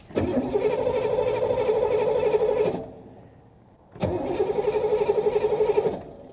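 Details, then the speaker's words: 1985 Chevy Corvette C4 parts car that keeps stopping, fires only on starting fluid, sending unit missing, fuel system rigged; fuel rail heard priming, two cranking bursts at about four beats a second with weakening battery, never catches; cranking, no start from fuel delivery fault. "i can hear the fuel rail and here we go with the battery getting low again"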